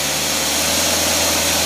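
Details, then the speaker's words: Cadillac engine with Carter AFB carburetor on test stand, load simulating a hill climb: loud steady roar holds pitch without stumbling or sagging; normal running under load. "you'll hear this motor it'll pull the motor down to where it stalls out of course we're not going to do that all he does to make it overheat we're putting a load on it now"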